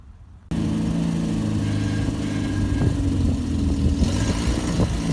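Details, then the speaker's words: Barn-find Volvo 480ES on a replacement ECU, rolling off with seized, sticky front brakes needing effort to move: engine pulls with an even drone, no gear whine, clunks or clutch chatter; gearbox, gears and clutch sound very good. "it's on gearbox gears clutch all sounds very good the brakes are quite seized took quite a bit of effort to make the car move"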